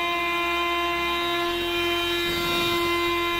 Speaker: uh you can notice sometimes that the servo motor is making an abnormal sound like this